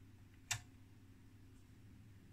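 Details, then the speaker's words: 1969 HP 400E AC RMS voltmeter: two sharp dry relay clicks over low mains hum when the box is touched; relays chattering from a loose connection. "yeah the relays and now we're back to my point is we got some relays right in here and something is a loose connection when I just touch this box"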